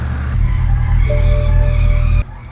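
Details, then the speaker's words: BMW E91 328xi Touring, N52 engine, xDrive: thin high squawk holds about a second over low rumble as engine cranks and fires, then fades; seems to come from underneath, maybe belt or aftermarket intake, source unknown. "Jacob just showed up and I was like, "Hey man, I'm doing some troubleshooting. I'm hearing this like squawking noise on startup.""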